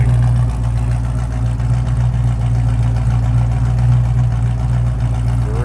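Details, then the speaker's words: 1969 Pontiac Firebird 400 V8, rebuilt engine, EFI, aftermarket exhaust, heard from the rear: deep, even burble at warm idle, steady lope, no misses or knocks. Normal idle. "It's one of those, hey, get in, turn the key, and go. Not going to have to do a lot of tinkering on this one."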